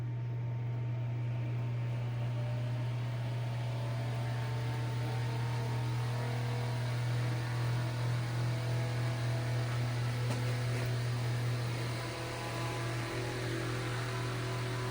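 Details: Eskimo 1005/1005R desk fan (McGraw-Edison, 55 W, 105-120 V AC), after freeing locked bearings, oiling and switch repair. Steady low motor hum with soft even whoosh, no rubbing or ticking; running well, bearings still need some work; normal running.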